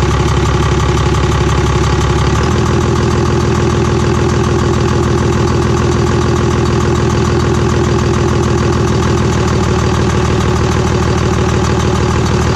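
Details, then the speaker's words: Cummins diesel truck after a P-pump swap, running without an intake manifold: a steady clean idle with a loud, even tapping from the open intake, not a knock; it should go away once the manifold is fitted. "all right so truck runs phenomenal that loud noise you hear coming from the intake that sounds like maybe a knock or you know hiccup tapping noises from the just the way these luncheon sounds without an intake manifold on it"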